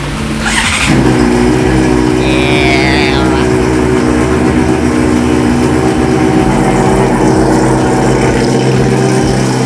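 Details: Motorcycle after replacing failed fuel pump with a used part: engine catches and settles into a steady, even run with a clean firing beat, no misses or knocks; running normally.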